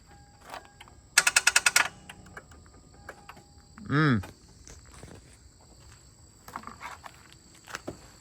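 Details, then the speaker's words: 2001 Lexus IS300 with swapped 1UZ V8, first start attempt: burst of about eight sharp clicks and no turning over; starter chattering because engine-to-chassis ground straps were not connected and negative terminal was loose. "again are we sure this battery's strong enough cuz it sounds like that battery's [ __ ] dead cuz it should it it should crank over regardless we never tighten down the negative hold on all right guys we had a little mishap forgot to put the ground wires onto the block"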